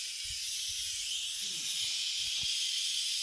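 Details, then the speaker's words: Instant Pot making chicken corn soup, after a 5-minute cook and 4 minutes on warm: a steady, loud, high hiss of steam pouring from the open vent during release. This is normal pressure release, nothing wrong. "is what we're doing now is for releasing the steam release in the scene so here a few minutes we'll have some tips for soup in a bowl"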